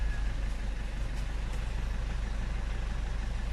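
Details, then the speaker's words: Car idling with aircon activated after tightening the loose accessory belt that squeaked when AC engaged: steady low idle, even smooth hum, no squeal or chirp from the belt; normal. "I-turn on ko na ngayon, no. At pagkatapos, activate ko yung aircon."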